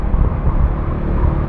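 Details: Bajaj Dominar 400 at cruising speed, after an oil change, new rear tire and foam added at the body side: low steady rumble under wind noise; the earlier vibration rattle is gone.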